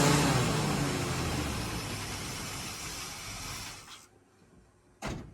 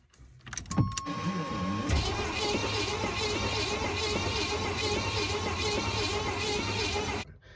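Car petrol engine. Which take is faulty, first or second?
second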